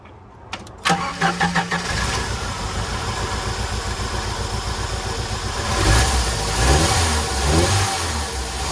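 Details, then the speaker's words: 1993 Jeep Wrangler YJ, parked for years, after repairs: cranks a second, catches cleanly and settles into a steady, even idle with no ticking. It ticked badly on its first start; it now sounds healthy. "You can see she's running pretty good now. So I haven't found any other issues. It's running good."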